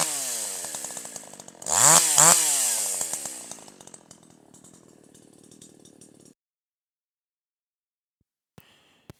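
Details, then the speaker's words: Older piston-ported chainsaw, H screw about 1.5 turns out, wide open unloaded: burbles and stutters (four-stroking) instead of screaming cleanly, smoothing out when loaded in the cut; high-speed mixture slightly rich. "In this case, when the saw is running wide open with no load, you hear a slight hesitation. When the saw is put down into the cut and a little bit of down pressure is applied so that the saw is loaded, the sound smooths out and you hear more of a sound."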